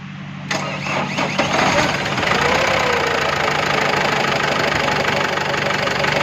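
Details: Tata Yoddha BS4 diesel engine cranks, catches and settles into a rough idle with a loose, rattly knock running through it. Cause suspected, not confirmed.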